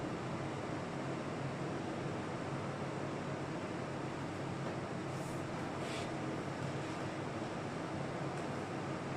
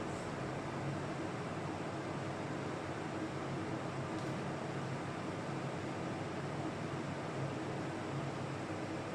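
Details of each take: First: Old Carlton air conditioner running in a 30-degree room: a smooth steady fan rush with no compressor hum underneath. The fan blows warm air but the compressor won't kick in, and it is still not fixed after an hour of stripping it. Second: Old Carlton air conditioner that blew only warm air because the compressor wouldn't kick in, now after cleaning and teardown: steady fan rush with low, even compressor hum, no rattles; compressor kicked in and unit cools normally.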